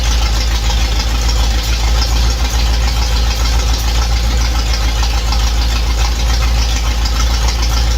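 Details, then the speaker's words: V8 running after an intake leak repair, with the intake resealed with silicone on both sides and torqued and the distributor refitted: a deep, steady fast-idle rumble firing evenly, no hiss or ticking. No new leaks so far. "well so far it appears I have no new leaks so I'm gonna let it cool down fire it up again"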